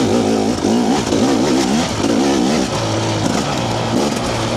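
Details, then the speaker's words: Two-stroke TBI dirt bike after TSP ERM ECU remap, green map, lugging a gear high: revs rise and fall cleanly through mid range, crisp even pickup, no hesitation or loading up; running well. "it doesn't seem to have that bit of a hesitation or loading up just cleaner fuel delivery which is what I was looking for so I'm happy with that"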